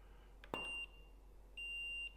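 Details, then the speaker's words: Neewer flash at full (1/1) power: a sharp flash pop, then a steady high ready beep of about half a second, repeating about a second later. This is a quick, normal recycle. "recycle time at 1: one is pretty impressive um I'm leaving the beeps on so you can hear it I hope you can hear"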